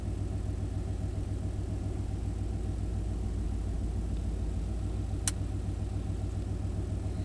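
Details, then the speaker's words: 1991 Chevy K1500 V8, in gear, idle around 850 rpm, oxygen sensor relocated downstream: steady even rumble, hiccup and stumble largely gone, slight unevenness remaining; staying in fuel control with good throttle response after a new O2 sensor. "We're still in fuel control, and it's not doing the hiccup that much at all. We're not seeing the crazy ramps up and down, up and down. It has great throttle response."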